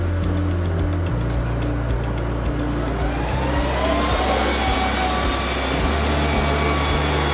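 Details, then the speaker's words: HP DL380 G6 server recorded on camera microphone before the quieting fix, fans ramping to high speed at power-on: loud, steady rushing whine whose tones step up and climb. Loud fans at high speed. "And as you can see, it is quite loud, especially considering that it is about 59 again,"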